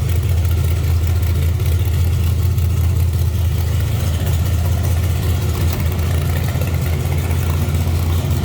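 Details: 1931 Ford Model A Tudor sedan street rod running: deep, even low rumble with a steady firing beat and smooth response; normal, healthy engine.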